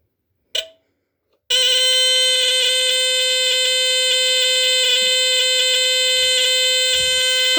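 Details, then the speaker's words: GE Home Sentry smoke alarm model 8203-001 from 1977, line-cord unit never used, tested via test button with cover on: a click, short pause, then loud, piercing unbroken high tone for about six seconds; alarm sounds as it should. "loud. It's got it's high pitched, but it doesn't bother me. I I can I can test this without using earplugs, which is good."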